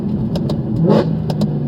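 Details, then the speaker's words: Mercedes-Benz C63 AMG V8 accelerating with a strong, even pull, clean rev rise and crisp shifts, no knocks or misses. It runs and shifts great, though it is due for service. "Oh, what a beautiful sound. Oh my god. Best sound ever. It runs great. It runs absolutely amazing."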